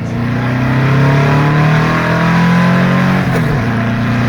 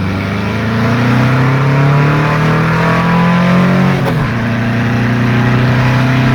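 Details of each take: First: Second full-throttle road pull on a 2-litre Porsche engine with 44 IDF carbs, now on 125 main jets. The note climbs cleanly and strongly with no flat spot, pulling far better than before, though it seems to have more in it. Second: Engine on 44 IDF carburetors, 118 mains and 185 air correctors, after float adjustment, on road pull: pulls hard at full throttle then goes flat around 4500–5000 rpm; lean flat spot, plan to increase mains.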